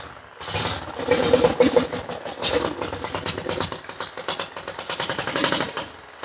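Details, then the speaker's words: 1940s Whizzer motor bike engine, choke off, leaking a little fuel: quick uneven pops build into a ragged but steady single-cylinder putter about three a second; fired right up and keeps running. "it's fired right up"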